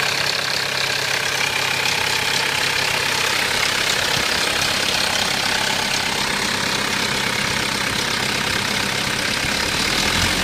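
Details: 1993 Mitsubishi Pajero 2.8 automatic at steady idle: fast, fairly regular metallic rattle about 220 a minute over the engine note; owner suspects timing chain rattle, not confirmed.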